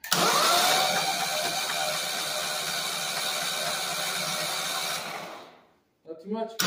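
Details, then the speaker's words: Walk-behind brush mower engine after sinking in a pond, drained, new oil, spark plug removed: even fast whirring for about five seconds as it spins with no compression, then winds down; turns freely, nothing binding. "all right moment of truth sounded good turning it over so I don't think we bent anything when it sucked"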